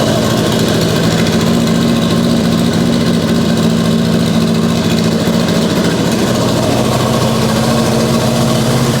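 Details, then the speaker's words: Mitsubishi Evo 8 restoration on base map, no boost controller (wastegate wide open): lumpy, slightly uneven idle with steady low drone, no knocking or rattles; running dead rich, needs tuning. "she needs some adjustment it's dead Rich crazy there's no boost controller on it right now so the W just wide open"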